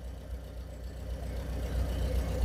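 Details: VW Fox after cylinder head overhaul, which had a cylinder misfire traced to injector 2 not firing; after the repair all four injectors pulse evenly. Even, low idle rumble with steady beat, no skips or dips; all cylinders firing smoothly.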